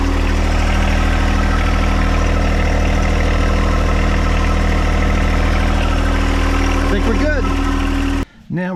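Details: John Deere 1025R sub-compact diesel tractor, restarted after fuel filter change and priming during 200-hour/annual service, idles with a steady, even low chug, no misses or knocks; runs clean and smooth, checked for leaks.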